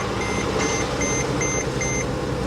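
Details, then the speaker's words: Copart auction car jump-started with a booster pack after ground trouble: warning chimes repeating about every 0.4 s over an uneven, coarse-running engine that sounded awful at first then improved; rough cold start, cause not pinned down. "No, it's running. It sounded awful at first, but now not so bad. Not so bad."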